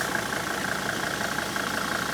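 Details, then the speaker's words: Mercedes-Benz diesel, now fed from the washer fluid tank after the original fuel tank failed, idling steady and even with a fine regular tick and no misses, after rough unpaved roads in Guinea; engine healthy, still running. "Uh but the engine is running as you can hear."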